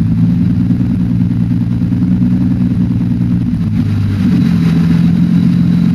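Lumpy idle with an uneven, stumbling beat in the low rumble; a cylinder drops out now and then, a misfire.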